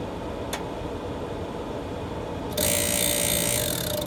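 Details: Green Mountain Grill Jim Bowie Choice pellet grill after auger cleaning and reassembly: quiet hum, then loud, harsh high-pitched whir as auger runs; auger works but motor abnormally loud, cause unknown.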